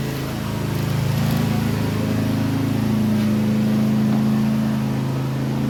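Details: Toro TimeCutter mower with a Kawasaki FR691V engine. It had been popping, skipping and misfiring once warm, after about 10 minutes or under load. Now the small single runs at a steady, even beat of about four per second with no skipping or popping, firing cleanly.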